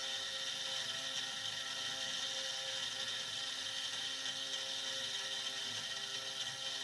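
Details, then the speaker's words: SX2.7 CNC mill conversion with NSK ATC spindle cutting a steel lathe leadscrew handle: harsh hissing screech with no steady ring on the ramp, rough chattery cut; end mill later fractured near 12 mm depth, cause unknown. "That sounds awful. That sounds great. The tips look great. So I don't know what's going on with that ramp."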